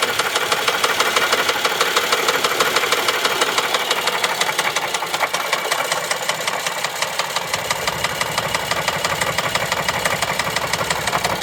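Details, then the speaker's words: 2011 Chevy Traverse 3.6L V6, towed in after stalling on highway, hard start on jump box, codes P0011 P000D P0024: loud fast metallic tapping about three per second over rough idle; failed timing chains slapping. "Ooh, that does not sound good. Ooh boy, that doesn't sound good at all. That smells. Oh no. I think that's an engine noise."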